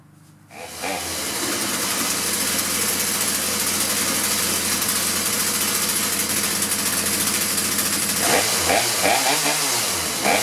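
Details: Two-stroke chainsaw that would start then quit, fixed by correcting reversed fuel lines (filter-carburetor-primer bulb-tank), choke on: catches after pause, steady high buzz, no stumbling — normal running.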